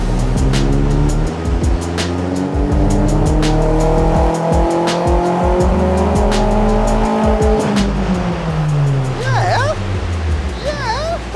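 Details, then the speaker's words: Turbocharged 285 hp Vauxhall Zafira, baseline dyno pull before remap; strong smooth pull rising steadily through the rev range, no misfire or breaking up, running clean under load. "that was healthy no breaking up we don't know what the map is like but that sounded good"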